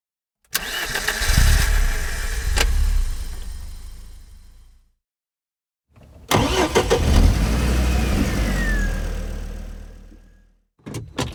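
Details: Car cranks in two long bursts of fast, even starter churning, about four turns a second, and never catches; cranks but won't start.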